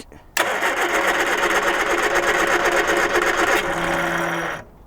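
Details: 1978 Triumph Spitfire 1500 abandoned for years, carbs cleaned but likely needing rebuild: even cranking at about four turns a second for several seconds, never catching or firing; no spark from a failed ignition coil.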